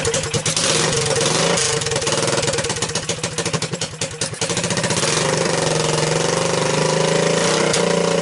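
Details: Honda ATC200S engine after being seized twice and a cracked oil filter cap replaced, refilled with oil: steady, even single-cylinder thump with brief rev blip, no knocks or rattles; normal idle.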